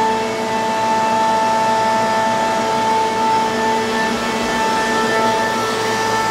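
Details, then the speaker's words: Quincy QSVB25 25 HP vane vacuum pump, rated 371 CFM at 29.9 inHg, new inlet filter, removed from a CNC router: steady, even hum with clean tones and no knocks or rattles; normal running. "again a really nice clean well-serviced smooth strong running pump"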